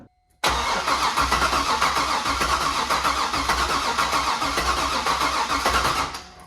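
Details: C5 Corvette Z06 (supercharged per title), unrun 3+ years in storage, no key: starter churns steadily about 3.5 beats a second for over five seconds, engine never catches; theft/security (VATS) system suspected, not confirmed.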